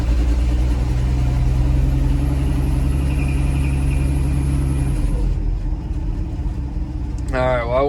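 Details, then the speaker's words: Old Ford F100 with K-code engine, manual, in neutral, started after sitting two weeks as evening cools, needed pumping and long cranking: steady drone for about five seconds, then sags and dies out; engine stalling after cold start. "after sitting two weeks and the sun's going down so it's probably getting on the colder end of the day oh it's dying out it died out"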